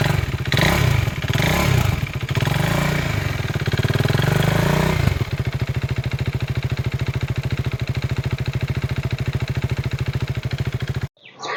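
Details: 2016 KTM RC 390 BS3 single-cylinder, 29k km, started and idling with mic removed: steady, even thumping idle, no knocks or rattles; slight vibration noted from a bolt.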